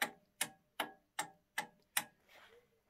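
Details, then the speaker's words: Schlumberger Stabilock 4039 attenuator board after replacing a failing 10,000uF 15V capacitor with a 25V one: during self-test, six crisp relay clicks about 2.5 per second, stepping properly past stage 13.9; fixed. "you can hear the attenuators clicking in and after solenoids and it was already fighting it was fighting on thirteen nine that's gone way through 13 the 13s and now it's on six and it's past problem is fixed"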